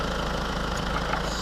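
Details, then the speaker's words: 2008 Renault Clio 1.5 dCi diesel after fuel filter replacement (filter with sensor): quiet, even idle with soft steady rumble, no knocks or stumbles, ending on a single thump; runs fine, normal idle. "et voilà tout va bien ça tourne voici le résultat est propre ça tourne"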